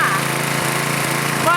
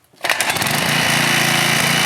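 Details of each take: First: Small petrol engine on a 2002 pressure washer after two bolts fixed its loose mounting, before the new governor spring is fitted: a steady, even beat with no rattle, running smoothly and healthy. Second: 2002 pressure washer small engine, before tightening loose mounting bolts: steady speed with loose uneven rattle, sounding about to rattle apart.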